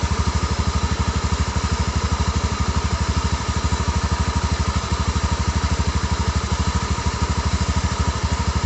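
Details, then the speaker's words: Honda Beat fuel-injected scooter idling with a low, churning rumble like water about to boil, loudest from one side; the owner suspects a dying crankshaft bearing but will check the CVT drive belt first. "ini kalau curiga saya ini bearing kruk-as bearing kruk-as sekarat n saracen atau udah audit telah kedengaran bunyinya dari sebelah Sisi itu terdengar banget"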